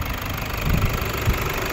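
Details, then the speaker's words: 2013 Toyota Hilux 1KD diesel, 171 hp: idle clatter broken now and then by uneven heavy knocks. The number 3 injector is failing, though its resistance tested fine cold. "infelizmente né ó quarto injetor que tá com problema tá bom Agora vai tá dando problema aí no terceiro injetor tá"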